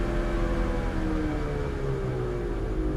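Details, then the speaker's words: 2005 Buick Terraza after 4T65-E transmission replacement, wheels spinning freely: low steady rumble with a faint tone drifting down as the driver's side wheel slows; bad wheel bearing, noise unrelated to transmission. "It's coming from the driver's side tire. You know what that means? That means I do have a bad wheel bearing."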